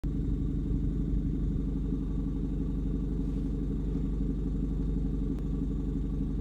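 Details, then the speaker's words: 2006-2011 Honda Civic R18 turbo with exhaust fumes smelled in cabin: loud, raspy low rumble with uneven puffing beat at idle, sounding like an exhaust leak. "obviously it sounds like an exhaust leak but all my exhaust"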